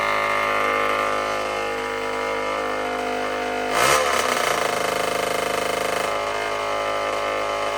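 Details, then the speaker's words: Tao Tao 110 mini quad swapped to a Kawasaki KX60 two-stroke engine: an uneven rattly idle that stumbles and flattens when the throttle is blipped; a bog on throttle. The owner suspects a super-lean mixture, an air leak or the carburetor, not confirmed. "it sounds like it's running uh super super lean or it has like an air leak it's got a bog when I give it gas"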